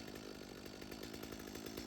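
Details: Stihl chainsaw on mixed fuel, just started via full then half choke and switched to run position: light, steady two-stroke burble with even rapid firing and no stumbling or surging; healthy idle.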